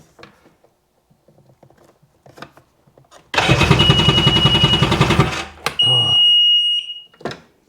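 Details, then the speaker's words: Sea-Doo GTX DI 951 two-stroke rebuilt with all new parts (old case cracked, crank seized), fuel pressurized, cranked in drown mode so no fuel injects; two seconds of even brisk cranking then beeps; turns over freely, normal cranking. "sounds good. I want to hook it up to the hose, but we'll do a quick water test or dry test."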